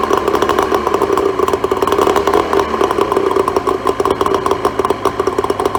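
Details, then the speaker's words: Neglected 2004 Tohatsu 25HP two-stroke outboard after fresh fuel, cleaned fuel filter and new plugs: rapid, even idle with no misses or knocks. No water from telltale, so a water pump kit is needed. Normal idle. "But look, I'm pretty encouraged. It sounds like it's going to run fine once it's had a bit of a decent run."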